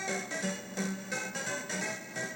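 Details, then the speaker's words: Mappy arcade PCB: game tune smeared with hissy bursts and wrong notes after warming up, sounding fine when first powered on; temperature-related fault later traced to sound RAM. "Yeah, it sounds bad. It's definitely temperature related."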